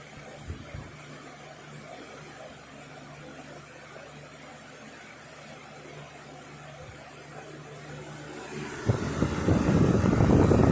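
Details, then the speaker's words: Lasko Weather Shield 20-inch box fan, heavily used for about a year, after cleaning and oiling service, on high speed: smooth, steady low hum and air rush with no scraping or clicking, a louder gust near the end; healthy, normal running. "Seems like this is very good electrically as well as mechanically, so to speak."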